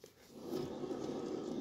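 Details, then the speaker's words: Van gearbox removed for a head gasket job, bearing spun by hand: faint dry rumble and scrape, play in the bearing; worn noisy gearbox bearing, differential bearings also noisy; owner weighing new bearings versus a used gearbox. "Par exemple celui-ci, je sais pas si vous allez entendre. Il y a du jeu, il fait du bruit."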